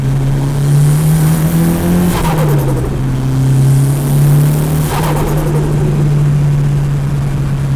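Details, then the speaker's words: Mitsubishi Evo turbo, recorder in the engine bay, airbox and intake parts muffling sound: revs rise and fall, and each throttle shut gives a short muffled fluttering rush; compressor surge flutter from a cheap blow-off block mod. "does sound pretty cool go go this thing is so sick well there you have it guys that is how to make your car do some hectic doses on the cheat"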